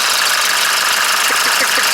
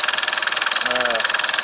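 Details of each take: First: Engine 601 diesel started cold with a Lavr engine flush in the oil: fast, light ticking from the top of the engine at idle, suspected hydraulic lifter (tick began after low oil level, stopped when hot). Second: 601 diesel engine, warm idle after topping up low oil, which the owner blames for a cold knock he suspects is the hydraulic lifters. Regular diesel clatter at about eight beats a second with no separate valvetrain tick; when hot, the lifters have stopped knocking.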